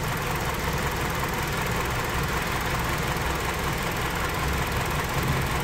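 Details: 2005 Hyundai Sonata, 2.4 L petrol, 169,000 on the clock, idling with an uneven lumpy low thump; misfire on cylinder 4, relative compression even, no spark on number four from a dead ignition coil.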